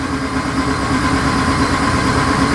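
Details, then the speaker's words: 2012 Ram 2500HD 5.7 Hemi crank no-start, P0685, from a fault in the TIPM ASD relay control side; check engine light flashing, RPM signal present: starter spins the V8 steadily with an even whir but it never catches. "and we're going to confirm the condition by cranking it"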